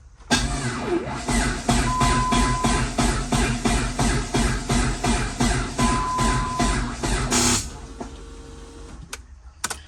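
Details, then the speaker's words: Freshly assembled long block in a Dodge Neon ACR, cranked with coil pack and injectors unplugged: slow, even cranking about three pulses per second for seven seconds, then dying off; battery a little dead, dragging the starter. "All right, well, unfortunately, the battery is a little dead. Did get a couple cranks out of it, but I'm gonna go ahead and see if I have the jumper cables in the truck."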